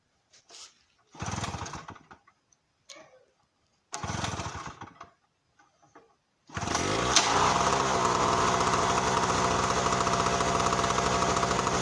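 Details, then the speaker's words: Tailgater generator, recently broken in, cold start in sub-30s°F weather on choke with fuel and switch on: several short pull-cord bursts that die out, then it catches and runs rough and buzzy; hard cold start. "Get the fuel on. Switches on. Chokes on. That's really on. Count how many pulls I had to do."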